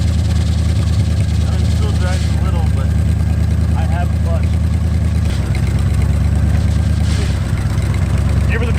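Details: Plymouth Satellite V8 revived after 35 years abandoned, idling on blocks before its first drive. Deep, even idle with a steady low rumble and no knocks or misses; the engine sounds healthy and smooth.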